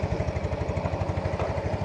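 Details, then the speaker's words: Yamaha Mio Z scooter (single cylinder) after engine rebuild for oil consumption: even putter about ten firing pulses a second, steady idle with no knocking or misses; healthy. "Sekarang sudah dirakit kembali . Sudah dirakit kembali dan kita akan menguji suaranya. Beginilah kondisi daya setelah kami menanganinya dan memperbaikinya di bengkel kami."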